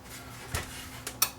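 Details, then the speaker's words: Yamaha RX-V470 receiver on the bench: relay clacks in at power-on, then clicks again about half a second later as the receiver shuts itself off and will not stay on. "it turns off so there's the problem it will not stay turned on"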